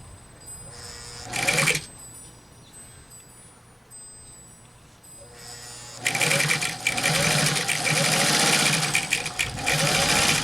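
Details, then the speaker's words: Bare Singer industrial sewing head driven by a 1.0 amp motor and foot pedal from an old Sears machine, sewing three layers of 10-ounce canvas at low torque: low strained groan at first, then takes off into steady stitching once overcoming resistance; running normally. "And then, if you listen carefully, you'll hear it start to groan. And here it is. When you get enough power to overcome the resistance, it tends to take off."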